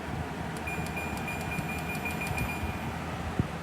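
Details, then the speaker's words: Dual inverter air conditioner fan on full high speed, compressor not yet running: short control beeps, then a soft even rush of air with no rattle or grinding, very quiet. Normal fan operation. "the compressor doesn't come on right away but oh my god this thing is quiet even when i put it on full high speed fan"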